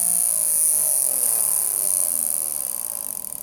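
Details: Electric motor with worn-out bearings: a sharp high-pitched whine with a wavering howl beneath it, fading as the motor spins down.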